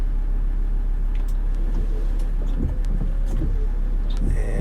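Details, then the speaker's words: 2017 Ford Transit diesel dually windshield wipers running after wiper motor and linkage maintenance: only a steady low van rumble and soft wiper swishes, no creaking or rattling; noise fixed. "don't hear anything like we used to hear and say that's a fix awesome"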